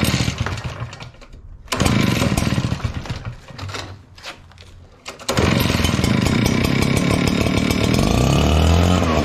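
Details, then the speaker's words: Echo PB9010T backpack blower two-stroke, started cold on choke: it bogs and bumbles as the throttle opens, then catches. It is worse in cold weather and extra choke masks it, so lean mixture; carb needs richening. "you can hear it bumbling it's really bad when it's colder outside so let's see if we can't fix this so I know that it needs to be richened up"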